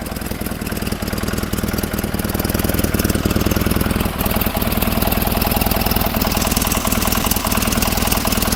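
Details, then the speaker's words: 1947 Farmall Cub tractor idling to warm up: uneven chuffing idle about four beats a second that stumbles and lopes; misfire from one valve stuck tight, right-hand side beside the intake manifold. "You can see they're all going up and down except that one beside the intake manifold the right hand side stuck tight."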